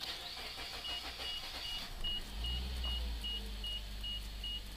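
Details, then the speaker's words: Suzuki SX4 with a P0301 cylinder 1 misfire and falling fuel economy, after cleaning the plug (NGK iridium, about 30,000–35,000 miles): cranks slowly, then a rough, uneven idle below 1000 rpm that still stumbles. Owner suspects the spark plugs. "she really didn't want to start up there did she but I can feel it already it's not stumbling at least on Idol and the RPM has already dropped down below a thousand which is unusual little stumble yet yeah it still does it"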